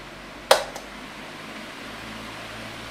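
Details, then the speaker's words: 2002 Midea 16" oscillating pedestal fan with mesh grilles, before cleaning and restoration, switched up to full power: a single click, then an even, steady airy rush with no knocks or rattles. Normal high-speed running with the typical mesh-grille fan sound. "oh yeah that's got some power to it now it does have that mesh Grille fan sound which is actually pretty nostalgic"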